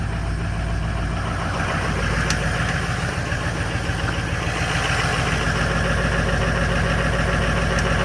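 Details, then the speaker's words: Ford F250 with 6.0 Powerstroke diesel, cold start in winter after sitting three weeks: a slightly slow start, then a steady, even diesel clatter at a settled idle with no stumble or knock; sounds good. "Whew, cold. That was a little slow, but that sounded good."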